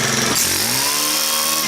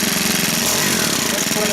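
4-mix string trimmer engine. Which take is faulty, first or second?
second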